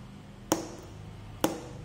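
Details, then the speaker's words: 12 V normally-closed automatic water-tap solenoid valve, bench-powered to check the coil: two sharp, clean clicks almost a second apart as the spring-loaded plunger snaps in. Coil pulling normally. "तो यह उस तरह काम करता है, हां, यह खींचता है।"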